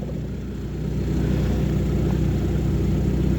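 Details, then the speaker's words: Lada Granta automatic after pan removal and removal of a fully clogged, dirty filter, refilled with warm oil: at 70° it runs with a low, even rumble, no whine or drone; transmission sounds calm. "Сейчас всё работает спокойно. Температура 70."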